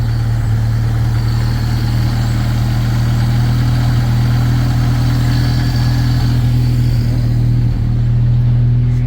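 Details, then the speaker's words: Ford Ranger with a newly wired electric fuel pump and electric choke, low idle just after start: a faint uneven beat in the exhaust. A slight misfire; the owner plans to redo the spark plugs. "has a little bit of a misfire, so I'm probably gonna do plugs again. Yeah, there's a misfire in it."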